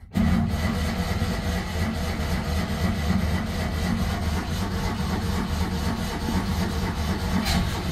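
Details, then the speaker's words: Citroen 2CV flat-twin cold start after about eight months unused: strong steady crank for several seconds without firing because the choke was forgotten; fuel may also be dry. "over strong crank for that amount of time oh hold on hold on it's been that long I forgot it's got a choke"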